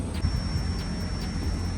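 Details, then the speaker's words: Daikin VRV inverter compressor tested with a normal meter on continuity between winding and earth: steady high beep showing a dead short to earth; compressor definitely failed. "So we've got a dead short between the windings and earth, so that compressor's definitely failed."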